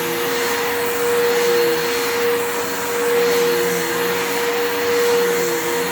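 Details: Bissell PowerForce 3537 vacuum: quiet, steady high motor whine with slow rise and fall in loudness; motor struggling, owner suspects armature and carbon brushes are going out.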